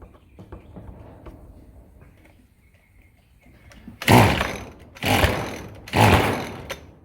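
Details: Echo SRM-210 two-stroke string trimmer after new purge bulb and fuel lines: three crisp throttle blips rising and falling back cleanly; starts and revs healthily.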